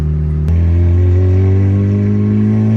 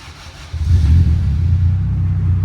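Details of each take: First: Turbocharged car, first drive since October. Engine pitch climbs under load, then pull breaks off abruptly as boost goes well over 12 and triggers boost cut. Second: 2000 Acura Integra GSR with newly installed Spoon N1 exhaust, cold start: engine catches and settles into a deep, steady, even rumble, a little loud but quiet, no ticking; no exhaust leak heard, normal cold idle.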